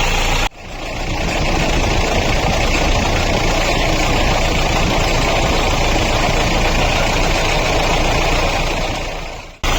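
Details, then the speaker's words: Mahindra Bolero diesel after replacing the water pump, which failed because an over-tightened alternator belt ruined its bearing: a steady, even diesel idle clatter with no noise from the front. The pump no longer wobbles; the engine sounds proper. "अभी कोई किसी प्रकार का कोई sound नहीं है। बिल्कुल okay है। अब जो है इंजन की आवाज बिल्कुल प्रॉपर है एकदम"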